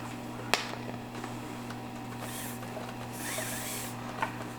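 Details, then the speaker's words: Used DSL 40CR tube amp with bad output tubes: low steady mains hum with sharp random pops about four seconds apart, growing louder as the tube warms up. The amp still plays normally. Output tube popping. "So sometimes it makes a louder pop, but there it is. Let me play guitar through it real quick. But it's making a kind of low popping sound."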